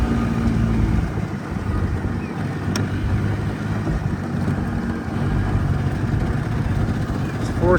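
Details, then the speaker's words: Edsel on choke: uneven loping, four-stroking, firing skipping and catching, rich then starved; no happy medium on choke, behaves differently under load; owner suspects fuel delivery issue. "Then it's rich. There's like no happy medium on this choke. She hungs right along and then out of fuel. I think we have a fuel delivery issue."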